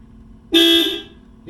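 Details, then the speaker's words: 1979 Porsche 924 horn fed power directly across two connections with key on: loud steady two-tone blare about half a second then a faint blip; horn sounding normally. "those two connections there that'll make the horn ring I'll just show you got to turn the key on and then that gets power to this FL one here"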